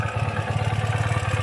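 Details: 2017 Ural cT boxer twin, just after upgrading to Keihin Gen 2 EFI, warm, with the exhaust smoking. Steady, even low thump of about nine beats a second with no misses or knocks; it smooths out into a healthy normal idle.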